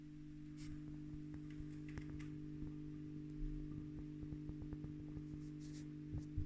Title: Blackstar silverline standard buzzing noise issue